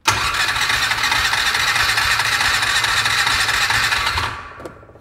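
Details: 2002 6x6 with a new BKR6E plug showing clean spark and a new air filter. About four seconds of fast, even cranking that never fires: no-start.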